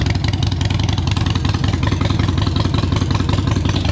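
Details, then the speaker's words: Used Harley-Davidson Iron 883 V-twin on a freshly charged battery: deep, even potato-potato idle at a steady lumpy beat with no knocks or rattles; idling normally. "electronics all good, seems to be running all right, sounds good."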